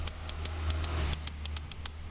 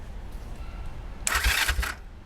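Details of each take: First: 1969 Honda CL450 electric start with the starter solenoid hooked up, key on and button pressed: rapid sharp clicks, about five a second, but no cranking; owner suspects a bad solenoid or a bad connection. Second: 1969 Honda CL450 after rebuilding the starter clutch, repairing the start button and replacing the starter solenoid: brief bright starter whir with low thumps over a quiet rumble, stopping after under a second; normal cranking.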